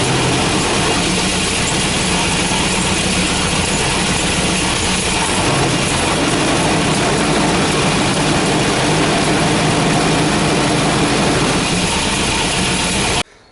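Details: Volvo B230 redblock (240/740/940) with hard starting and rough running, doesn't misfire much under load so ignition unlikely: loud, uneven idle that stumbles and shakes; leaking fuel pressure regulator flooding fuel.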